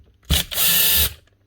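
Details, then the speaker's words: Makita DGA463 brushless grinder, lock button hit while running, run without guard after rotor and bearing replacement. Short spin-up gives a loud, harsh, high rasping grind from the gear head: damaged gears. "Doesn't take much to make a grinding noise out of the gears. One slight bit of damage and she turns deafeningly loud."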